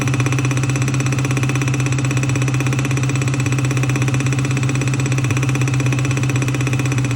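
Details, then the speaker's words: Car engine at idle: regular deep knock about four times a second from underneath at the oil pan, where a new dent appeared; owner thinks it sounds like a rod knock but is unsure; bottom-end knock, cause unconfirmed. "it's knocking there and it's sounds like a rod knock to me"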